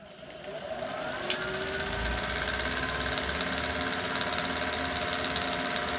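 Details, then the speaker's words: Vintage Sioux valve grinder motor, previously dying out under load, now running with the oil pump disconnected: a steady, even motor hum with no bogging and a faint flutter from a loose belt. Normal motor run. "sounds better well yeah we gotta tighten that up with a look at that belt she's a she's dancing that's a lot healthier sounded when we were filming"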